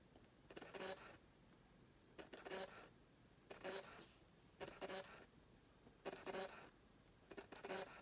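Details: Fujifilm XF 16mm f/1.4 lens aimed at a no-contrast area to force full focus hunting: short, harsh, buzzy whirring bursts about every 1.5 seconds as focus sweeps. Worse over long focus travel; AF otherwise works. Owner unsure whether it is normal or defective.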